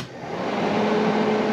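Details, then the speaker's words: 1982 Fiat 124 Spider heater blower motor, previously not working, now running after tracing the switch connections during interior electrical diagnosis, engine out of car; spins up quickly to a steady even hum with clear whirr, then switched to low; blower works normally. "hey it works you can feel it you're not going to see anything but it works and then low"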